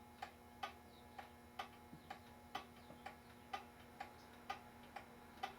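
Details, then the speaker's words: Ansonia time-and-strike pendulum clock, circa 1900, pendulum just hung in the case on a level desk; beat is set by the verge shape. Ticks are uneven in spacing and loudness, so it's out of beat. A crooked part seen may be the cause and will be straightened. "Okay, so it sounds like it's a little out of beat, but before I do anything, I'm going to bend this part right here, and I'm going to bend it so it is straight, because I could see it was a little crooked, and that itself can be the reason it's out of beat."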